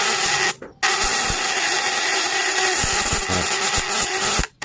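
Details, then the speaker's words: Fish-stunning device (setrum ikan) with vibrating contact breaker (platina), 1 mm primary and 0.5 mm secondary wire, cold: breaker set tight against its contact for bigger output gives a harsh, steady high-pitched buzz with brief dropouts. "kalau semuanya ingin besar dikasih kencang itu kasih mepet dengan platina duduknya Jadi sebelum keluar itu lebih besar"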